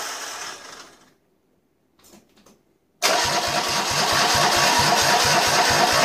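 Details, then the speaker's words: Citroën Dyane with a 2CV flat-twin engine just installed, first startup before the exhaust and fan are refitted: catches at once and settles into an even, quick putter. Normal start and idle, sounding quite good. "and runs, and sounded quite good actually for the first startup at least."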